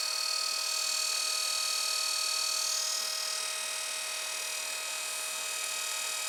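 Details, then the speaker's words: Brushed 24 V 350 W 3000 rpm eBike gear motor BY1016Z, 9.7:1 reduction, about 300 rpm output, shredder drive, on 24 V at full speed: steady high whine with even gear hum, faint PSU fan hiss; running smoothly. "A little bit of fan noise coming from the PSU, but not too loud. I mean, if you had that on a bike outside in the traffic, whatever, I don't think you'd hear it very much."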